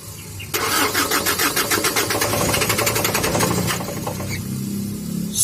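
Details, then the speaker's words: Fuso Canter truck with 4M50 diesel cranks steadily at about four beats a second for three seconds but never fires; injectors checked okay, owner suspects dirt as the cause of the crank-no-start. "Ayan guys Ayaw talaga umandar Okay naman yung mga injector niya"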